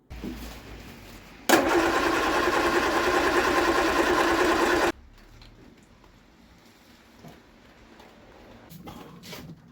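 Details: Vauxhall Viva HC after water-contaminated fuel flushed, filter changed and fed fresh fuel: starter churns, engine catches and runs steadily a few seconds, firing evenly; starting fault was water in the fuel.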